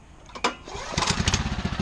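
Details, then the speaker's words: New Honda mower, just filled and serviced, second start: sharp cord pull, then engine catches and settles into an even, quiet, steady putter; normal start and idle. "Oh, there we go. Nice and quiet, really."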